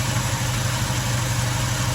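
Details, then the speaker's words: A warm carbureted engine with a Weber carburetor runs a little rougher and lower once the idle mixture screw is turned in, its pulses uneven from a lean idle mixture. "there we go can you hear that difference running a little bit rougher the RPM's dropped off"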